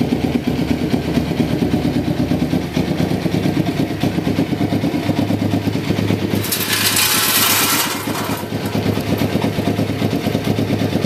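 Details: 1993 Kawasaki Vulcan EN500 twin, bobber project, after removing the reed/air suction valve and installing and synchronizing the carburettors, with the mixture not yet adjusted: a short throttle blip, then a fairly even, steady idle with no knocks or misses while warming up.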